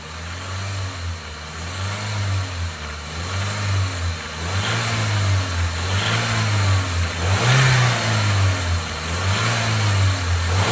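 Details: Audi S3 8L 1.8T turbo petrol engine revving repeatedly, with a metallic rattle through the mid tones over the engine drone; the cause is unknown.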